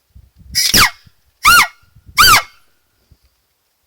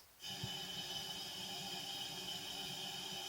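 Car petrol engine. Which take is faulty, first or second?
first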